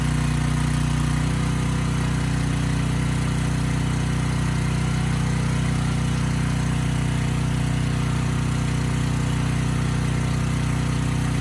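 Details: Briggs & Stratton Storm Responder generator (model 030430-00, engine 21T212-0116-G1), previously stuck at TDC with fuel-flooded oil, final test after repair: strong steady drone, no surging; speed raised to 61.5 Hz, loaded to 3000 W and holding 60 Hz, running normally.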